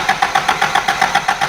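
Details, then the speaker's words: Toyota Hilux still on its suspected failed ignition-points condenser: steady starter cranking at about seven to eight pulses a second with no firing, and it won't run. Fuel is reaching the carburetor, so weak spark is suspected. "all right so we've seen how this running it's running like a beggar dog won't run at all really"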